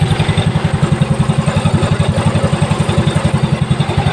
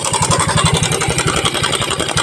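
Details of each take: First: Mio Soul i scooter idling after a new cam chain tensioner is fitted. Steady, even low thump with no cam chain slap or rattle; the engine is now very quiet. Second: Mio Soul i scooter engine idling with a fast, loose rattling clatter over the firing pulses when the cam chain tensioner is backed off; faulty tensioner, quiet when tightened, to be replaced.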